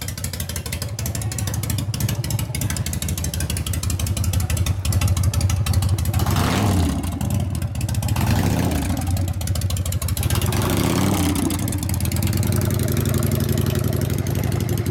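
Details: 1999 80ci Evo V-twin, rigid, after reassembly: idles and blips twice cleanly, no clank or rattle from the primary side, which clattered before the repair. Normal primary drive running.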